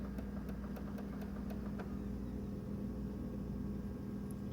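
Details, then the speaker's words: Xbox One disc drive that won't read or play discs (installed games still play; dust already cleaned): a steady low whir with sharp clicks and clanks, abnormal grinding and clanking of the failing drive. "so that grinding noise click click connect' clang clang clang that ain't normal"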